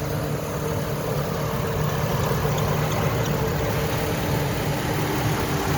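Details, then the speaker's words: 2008 GMC Envoy idling with hood open, engine bay looks detailed: even, smooth idle with a low steady hum, no ticks, knocks or squeals; sounds like it's running well, no abnormal noises. "Looks clean. It sounds like it's running well. I don't hear any abnormal noises."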